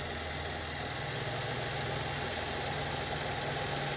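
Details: GMC Acadia / Chevy Traverse after power steering high-pressure hose replacement and bleeding: steady petrol idle with even low hum, no power steering pump whine, no bubbles.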